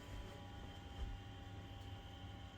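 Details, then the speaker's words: BenQ HT1075 DLP projector under repair for no power, first power-up after reassembly: steady airy fan rush with a fixed thin color-wheel whine, no rattles or surging. Fans and wheel run normally, but the lamp does not light. "Hey, color wheel came on. Fans came on. No lamp. That's a shame."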